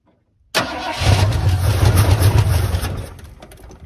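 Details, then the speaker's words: 1979 Ford F-150 Custom tool-body truck, sitting since 1999, restarted after fuel poured in carb bowls, ran three weeks earlier: catches and runs lumpy, surging and sagging; owner suspects stuck-open carb float giving too much fuel. "so she's being a little temperamental um it could be that the float is uh stuck open and it's just getting a little too much fuel"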